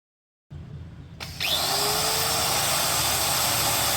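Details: DongCheng DSM08-100 800W 4-inch angle grinder after 6201 bearing change: click, then spins up to a steady high whine with no rumble or grinding; sounds healthy.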